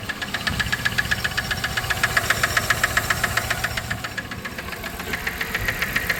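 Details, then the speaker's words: 1997 Dodge Caravan LE after a rod and main bearing job and a new coil pack, idling on five cylinders: a sharp tick at about four per second, seemingly from the top end of the back bank. It is quieter than before and the cause is unconfirmed. "H sounds like it's a back one but it's kind of quieter than it was before on this side"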